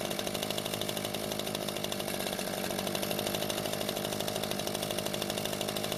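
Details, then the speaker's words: Echo two-stroke leaf blower that would not start after storage, after repair of its fuel-leaking carburetor: steady, even, fast buzz with no surging or stumbling. It runs fine, with no leak afterwards. "it seems to be running just fine now and after letting it sit for a few hours there wasn't any fuel leaking from the carburetor"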